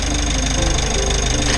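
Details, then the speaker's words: Mitsubishi L300 Euro4 diesel idling, blower on; harsh rough grinding rattle once the AC compressor engages, low-side gauge needle shaking, cooling weak: compressor internal wear. "Ayan maingay. So tingnan natin saglit. So ayan na sitwasyon habang umaandar. So nanginginig yung kamay nung ah law side natin. So patayin ko na muna so sigurado may problema ang compressor nito."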